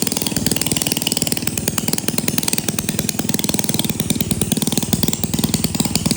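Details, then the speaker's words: 1937 Maytag Model 92 single-cylinder two-stroke, running before cosmetic cleanup and repaint, needing no mechanical or ignition work: rapid even popping beat holding steady, no misfires or stumbles; running healthy. "Real quick before you leave me, I'll go ahead and fire this up for you real quick so you can see how it runs."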